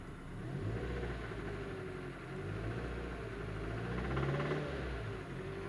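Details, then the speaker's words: Hyundai i30 1.4 petrol engine burning about a litre of oil a week, held at raised revs: a dull, rapid knock under the drone, suspected to come from the bearings, pistons or valves. A rebuild is being considered. "вот такой стук здесь и + масло берёт очень сильно"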